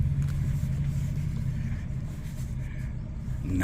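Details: Fiat 500 after replacing the damaged top strut mount whose bearing had failed: steady low engine hum while the wheel is turned, no bangs or clunks from the strut top; quiet steering after repair.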